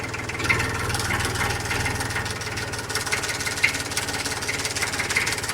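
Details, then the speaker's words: 36-year-old imported Massey Ferguson tractor on a cold start: catches on the first try and settles into a soft, very quiet, even low chug with no knocks or misses. Normal healthy cold start; it only gets loud under acceleration. "ഇതാണ് ഇതിന്റെ ideal sound വരുന്നത്. കേൾക്കാൻ പറ്റും. ഭയങ്കര silent ആണ് സത്യം പറഞ്ഞു കഴിഞ്ഞാല്."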